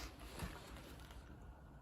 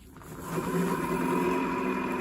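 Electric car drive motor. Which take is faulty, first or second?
second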